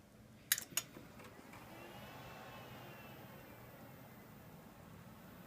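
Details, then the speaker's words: Dell Precision T7500 dual Xeon workstation at power-on: two sharp clicks, then fans spin up a little loud with a soft rising whir and settle to a quiet steady hush; normal fan noise. "we're just going to do the power on see how loud this thing is this thing is really quiet starts off a little bit on the loud side"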